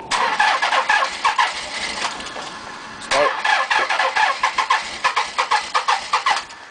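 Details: Nissan 300ZX (Z32) with suspected bad injectors. Uneven bursts of cranking that stop and start again during a long, hard start; it is unclear whether it catches.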